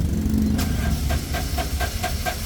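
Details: Suzuki three-cylinder turbo diesel with no fault codes cranks with an even chuffing beat of about four to five a second but never catches; no-start from low compression due to heavy blowby.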